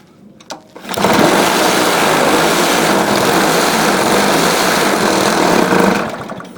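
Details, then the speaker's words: A trash-found Honda lawn mower, with oil and fuel, choked and started: it runs loud, harsh and rattly with severe vibration that blew off the air filter cover, then dies. "all right well there's definitely something wrong with this thing blew the whole air filter cover right off I don't know what that was all about but uh the thing was vibrating like uh I don't even know"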